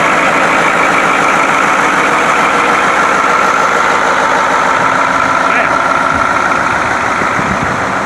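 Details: White 4-175 tractor on high-speed road test after rear main frame repairs. Its old low hum at high speed, thought to come from worn rear-end gears and broken bull gear teeth, is gone; steady even drone, normal drivetrain.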